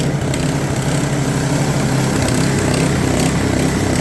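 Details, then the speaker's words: Customer's snowblower, auger not engaging or throwing snow; after adjusting auger belt tension (still some free play), the small engine holds a steady busy buzz under load with no slipping or surging, running quite well; oil change planned. "And as you can hear, runs quite well, but I am going to service it, drain the oil, put fresh oil in it as well."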